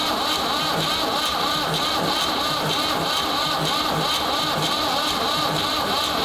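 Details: Ford 3600 diesel tractor with rebuilt CAV injection pump, bleeding injectors with some fuel reaching the first injector: steady rhythmic starter churning with no catch or firing, battery starting to slow; cranks but won't start, later traced to the pump.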